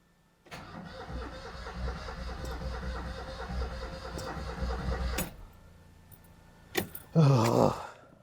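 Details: Car that will not start: the starter turns the engine over for about five seconds with steady, even compression beats, but it never fires and falls silent.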